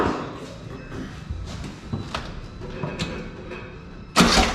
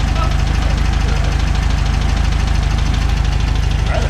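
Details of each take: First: VW Beetle air-cooled engine after oil sump/pump cover work, plug wires on wrong firing order, at least one cylinder not firing, oil possibly in 3-4 side cylinders: starter cranks in bursts, then a loud, lumpy, uneven popping run; misfire from wrong firing order. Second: VW Beetle flat-four after plug wire firing order corrected: even, regular chuff at about three beats a second with no stumbles; normal smooth idle, engine running again.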